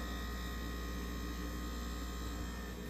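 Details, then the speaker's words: Frigidaire refrigerator just plugged back in after unplugging: compressor turning on with a steady low hum, no knocking, rattling or clicking; normal compressor running. "the evaporator coil will try to turn on the fan motor will try to turn on and then the compressor will try to turn on that's the compressor turning on"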